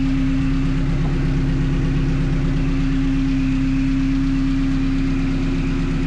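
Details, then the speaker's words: 1974 Alfa Romeo GTV fitted with a Honda S2000 engine and 6-speed transmission, first runs after e-throttle calibration; idle settings adjusted to a steady, even idle at about 900 rpm with no misses, knocks or hunting. "So, I do keep adjusting the idle settings and do get it to idle right at about 900 rpm, which is great."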